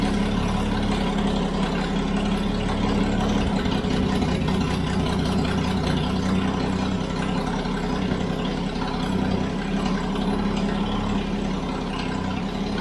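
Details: Toyota FJ40 Land Cruiser first start after purchase, throttle stuck, no choke, no oil pressure shown on gauge: steady low idle with a loud, raspy rumble and uneven puffing; big hole in the exhaust.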